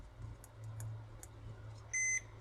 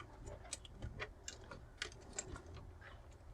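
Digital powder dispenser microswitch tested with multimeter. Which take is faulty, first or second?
first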